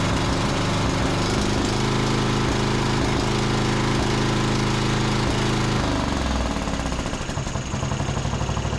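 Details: John Deere D110 mower after carb richened, idling before load test: steady even idle about three pops a second, idles down with no surging, spitting or stumbling; runs healthy.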